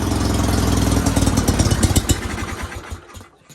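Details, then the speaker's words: Sears GT 19.9 garden tractor, first start after sitting about 2 years: runs loud and lumpy, then stumbles and dies within seconds after starting; fuel starvation suspected. "Uh-oh. Fuel? Yep. Give her a shot again. Somebody's not very happy."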